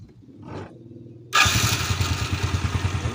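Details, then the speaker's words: Motorcycle after cleaning loose electrical connections and adding a 3300 µF 50 V capacitor: starter spins in quickly and cranks briskly at about three beats per second, voltage holding around 11 V; light, healthy cranking. "Oke ini sudah termasuk bagus 11 pol dan starternya enteng"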